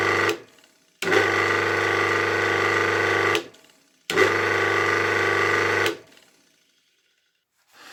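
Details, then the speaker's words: 1964 Polish BZFWr-120/78 washing-machine motor, rebuilt with new 6202 bearings, run on main winding only with a suspected short between windings needing rewinding: a harsh, steady electrical buzz each time it's powered, stopping abruptly when switched off. "But we can test run it manually on the main winding itself, although I warn you that it will still be very noisy. Here I connected the power wires only to the red wires from the main winding, the yellow wires are the starting winding and the blue wires are the centrifugal switch."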